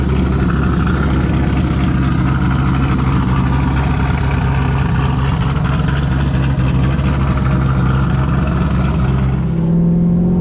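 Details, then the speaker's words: Turbo LS-swapped Trans Am V8, about 150 miles on the new setup, after swapping the lifters and trays and priming the oil system: fast, light ticking about twice a second over the idle. The lifter tick persists. "So as you can probably hear, still got a lifter tick."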